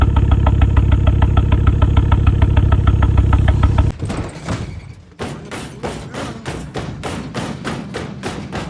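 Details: Ford Focus XR5 Turbo at idle, spluttering on a drive home: heavy, uneven thump about 200 times a minute, a lumpy beat; cylinder misfire.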